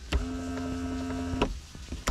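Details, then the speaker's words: 1999–2005 Pontiac Grand Am sunroof: a steady electric motor hum with a faint whir when switched on, but the roof does not move. A broken gear inside the motor is suspected. "So I'm gonna guess that maybe the gear broke in the motor. So we're gonna have to take out the whole thing."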